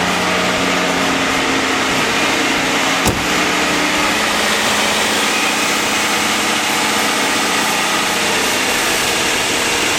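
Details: AMC Eagle 258 straight-six after a TFI ignition upgrade with the computer out of control: fast, steady idle with a thin, even hum that never settles, all cylinders firing; high idle, cause unconfirmed.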